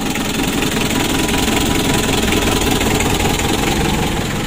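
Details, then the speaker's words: Mitsubishi L300 diesel, warm, revved hard: rough, laboring with dull knocking chug and heavy crankcase blow-by; also severe shaking and compression leaking into radiator, engine teardown being considered. "untuk ngobasnya sudah lumayan banyak ini ya"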